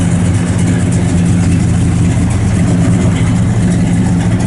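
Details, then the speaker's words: 1966 Chevrolet Chevelle SS 396 V8 (4-speed, 138 VIN, recently restored) just fired up: deep idle with a slight lope from a mild, not radical cam, firing strong and even, no ticks or knocks; healthy normal idle. "A nice little cam in it. It's nothing real radical, but just good sounding cam."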